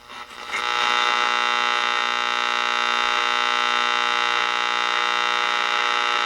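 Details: Ross RE-1207 radio on the bench after re-cap and repair, soldering station nearby contributing noise until switched off: steady buzzy hum with a stack of even tones under the radio, mains hum interference.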